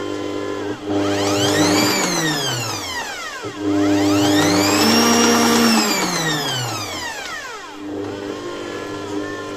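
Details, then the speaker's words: Bosch MUM5 dough kneading machine after gear replacement repair, final test run: smooth motor whine rising and falling evenly with speed, no grinding or clicking; gear drive running healthy. "اب اسے ایک آخری بار چلائیں۔ یہ کافی کامیاب ہے۔ یہ اس طرح کافی دیر تک چلے گا۔"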